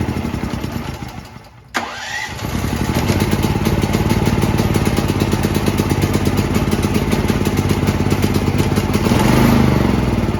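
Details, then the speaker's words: New Firman T07573 tri-fuel generator on gasoline, after topping up the nearly empty tank: starter pull, then the engine settles into a steady, even beat with no misses or surging. Earlier no-start was blamed on too little gasoline. "step back here because that's awfully loud it's purring like a kitten maybe that was because it's like brand new out of the box and I had to get fuel in the lines"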